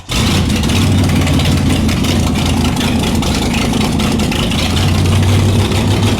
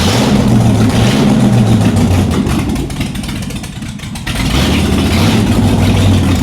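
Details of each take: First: Shelby Cobra 427 V8 running in the car for the first time in nearly a decade, on open headers with no mufflers: it fires and settles into a loud, steady, deep burble, holding idle without hunting. Normal idle. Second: Shelby Cobra with Ford 427 V8, first start after nearly a decade out of the car, open exhaust: engine sags and surges nearly to stalling, won't hold steady idle; suspected major vacuum leak since carbs weren't removed from intake, unconfirmed.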